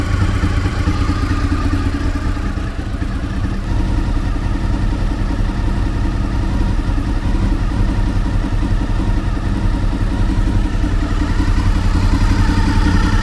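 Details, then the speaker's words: Fifth-generation Honda VFR800Fi V4 after idle adjustment: smooth, steady, lower-pitched idle with no misses or knocks, sounding slower and generally healthier; normal idle. "notice how much lower the pitch is the tone of the engine it sounds like it's idling a lot slower and just generally healthier"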